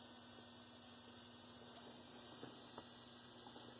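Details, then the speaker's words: Bachmann GP30 pancake motor after rebuild, scraping collars raised and glued, running on the bench at 4.8 volts; quiet, steady electric hum with even pitch and no rubbing or ticking; normal motor run. "Let's go ahead and hook on. See what we get here. Okay. Sounds pretty good."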